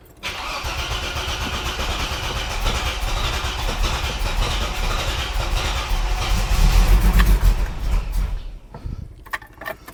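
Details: 45-year-old 2.8-litre Vauxhall Royale coupe, just swapped back to newer Weber carburettor set to baseline screws, choke cable off: long cranking catches and stumbles into rough, uneven running before dying; hard starting, carb still untuned.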